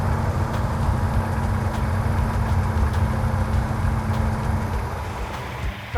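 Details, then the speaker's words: Freshly rebuilt 340 V8 in a Cuda during break-in at fast idle, warming up, timing just advanced, vacuum leaks apparently fixed: steady, even beat with no valvetrain ticking; normal running. "now we're just letting it break in it sounds like it's running a whole lot better sounds like we might have got rid of our vacuum leaks"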